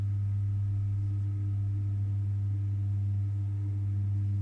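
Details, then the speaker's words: 2001 Elektro Automatik EA PS 7016 16V 20A 320W power supply at switch-on: constant loud deep hum with faint higher buzz; transformer working too hard, later traced to an E-core screw error. "oh man there's definitely something wrong it is not supposed to"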